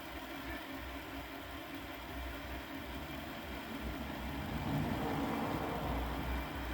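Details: Repaired Hornby Class 57 model loco, previously dead, running in reverse on test bed; even low rumble with faint regular pulse, no grinding or clicking; a really good runner.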